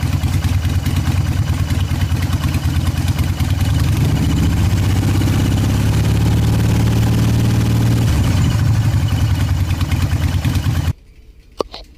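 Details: 2003 Harley Sportster 1200C after new ignition module fitted, in neutral: fires straight up into a loud, lumpy, steady idle with a brief rev, then cuts off cleanly; runs healthy.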